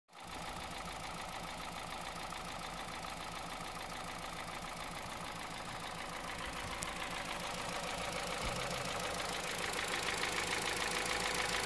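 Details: 2009 Honda Civic Hybrid 1.3 idling with a regular light knock about three or four times a second; source undetermined, owner wonders whether timing chain, piston slap or bearings.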